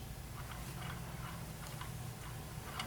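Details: Schwinn ACPP / Carbon Blue exercise bike flywheel spun backwards: faint, irregular light clicks about three a second over a low whir, from worn flywheel bearings; replace the bearings and/or flywheel.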